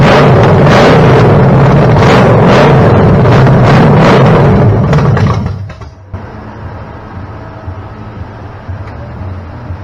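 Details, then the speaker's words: Chevy small-block 327 V8, stored about 15 years with fogging oil, first fire-up on a homemade run stand after a starter, water pump and carb fuel-bowl fix: strong, even rumble at fast idle, then shutdown; no ticking, normal running. "Mission accomplished. Hell yeah. We'll run it some more another day, huh? I can't tell you how loud that is over here."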